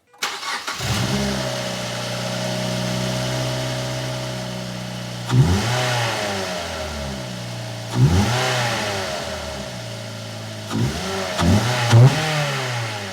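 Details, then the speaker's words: NC third-generation Mazda MX-5 Miata just after installing AEM cold air intake with pre-filter sock: engine cranks, catches, settles into steady idle, then several clean smooth blips; sounds healthy. "Well, it sounds pretty good, but the real test is going to be when we get out on the road, so stay tuned to the end for a real sound sample."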